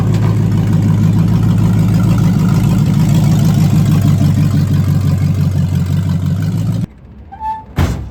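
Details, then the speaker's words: Ford Mustang V8 with welded-together automatic transmission: revs hard and steady with no upshift, grabbing second only briefly; kickdown linkage pulled fully up makes it think it is at full throttle, keeping it in first, and a return spring is planned. "Well, she don't shift, but I know why."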